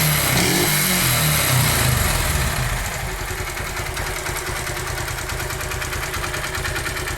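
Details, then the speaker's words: 2008 Honda Titan 150 idling: hollow, regular knock about three per second that sometimes gets much louder; piston found worn from lack of lubrication, piston slap. "Tem vezes que o barulho altera mais ainda, galera. Barulho bem forte mesmo."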